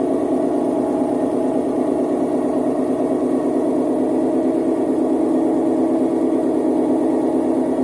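A loud, steady roar with an uneven throb about three times a second through the spin points to worn drum bearings and an unbalanced load.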